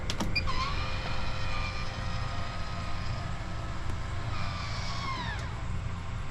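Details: MaxxAir MaxxFan after installing a 12 V voltage regulator (input had been about 1.6 V high, causing beeping shutdowns): fan hum winds down, short whirr as lid closes, no beeping; normal shutdown.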